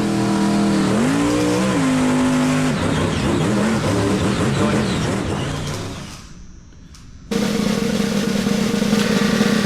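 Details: Freshly rebuilt small-block Chevy 350 (roughly 355) on first start, still cold: a deep, steady V8 rumble settles into an even idle around 750 rpm after a short dip, with good oil pressure and no knocks. Normal idle.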